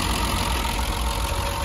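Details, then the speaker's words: 50-year-old Triumph 2500S petrol six, stored over two years, idle with the bonnet open: smooth, even low idle with no chopping, misfire or knock; normal idle. "so it sounds pretty pretty good to me i can't hear too much chopping"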